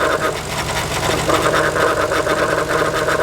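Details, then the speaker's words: 1990 Nissan 300ZX Twin Turbo at steady idle: the power steering pump, which was also leaking, makes a loud, coarse, pulsing grinding whirr that gets much louder as the load comes off and on. The pump is failing and is about to be removed. "you can hear when I come off and on the noise gets very loud that is a very noisy power here"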